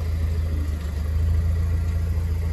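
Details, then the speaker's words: Pontiac Solstice GXP SCCA T2 Championship Edition that would not crank, now running after the fault was traced to the BCM and fuses, with no dash gauges or rpm reading: deep, even idle with a regular low throb, no misfire or knock; normal idle. "least it's running so we know that's what it it was definitely the bcm"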